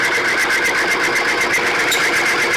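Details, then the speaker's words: Timken bearing test machine, one weight loaded: a steady high-pitched rubbing whine with a fast pulsing ripple as the specimen heats up. Expected run-in noise, which then starts to quiet down. "we're going to let it get hot it's going to make noise just like it's supposed"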